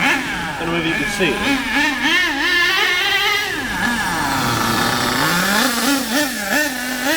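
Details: HPI K4.6 nitro engine in a Savage 21 monster truck after needle tuning, running low on fuel: high buzzing note rising and falling cleanly with throttle, no stumble or sag; tuned about right, normal nitro engine running.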